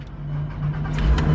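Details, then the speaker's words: First start of a dual-clutch VR6 sports car bought at salvage auction after long storage, jump-started: starter turns, engine catches into a smooth, steady low rumble with no misfire or knocking, no check engine lights; normal start. "no check engine lights no nothing what are we up to home run home run number seven this is just unbelievable"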